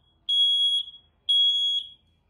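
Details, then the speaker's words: Trigger smoke alarm, flashing red after smoke was sprayed into it, in full alarm before the hush button is pressed: two loud, shrill half-second beeps about a second apart. "Once we've pushed that hush button, all your smoke alarms will stop sounding."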